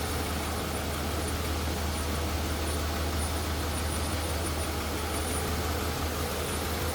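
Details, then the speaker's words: 1983 Mercedes-Benz 380 SL convertible, 3.8 L V8: steady, even low rumble at idle with no misses, knocks or ticks; a smooth, healthy idle. "power steering power brakes AC AC blows cold nice smooth Runner no doubt about"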